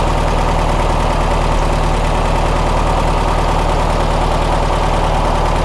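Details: 1967 VW Karmann Ghia air-cooled engine, sat since 1975, warm idle after first drive; steady even low putter, regular firing beat, no knocks or misses; healthy-sounding, though leaking badly, seals suspected.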